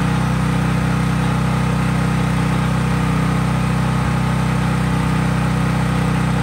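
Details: Craftsman 5000 W generator at full speed with only an LED bulb plugged in, effectively no load: steady, even drone and low constant hum, no knocks or misses; normal no-load running.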